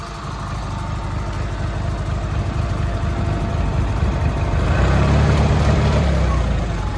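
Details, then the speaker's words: Massey Ferguson 205-4 tractor, unrun about 2 years, about 3 hours runtime, mice in air cleaner: steady, even low thump settling into a slightly low idle, no knocks or misses; plug possibly fouled, otherwise runs normally. "idle's a little bit low haven't really run it in like 2 years so there's a good chance that one of the plugs might be a little bit foul too but in general it runs pretty [Applause] good"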